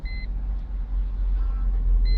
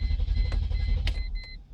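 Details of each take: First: 2001 Mercedes E320 that cranked but would not start, now running with the fuel pump relay bypassed. Low, even idle rumble with a two-tone dash chime at either end, no stumbling. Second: 2001 Mercedes E320 cranks but won't start: starter spins the engine with steady low chugging and a chime over it, never firing; faulty fuel pump relay.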